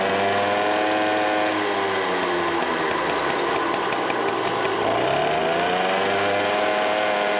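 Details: Green automatic two-speed Pappa Tunturi moped with centrifugal clutch, after carburetor cleaning: steady buzzing two-stroke note dipping and climbing smoothly with throttle, no stumble or misfire; normal running, jet still to be adjusted on test drive.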